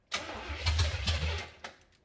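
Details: 1970 Oldsmobile Cutlass V8, sat about 15 years: quick uneven chug for about a second and a half, never catches, dies away. Crank no start; suspected fuel starvation, carb bowls possibly not filling, later fuel poured in.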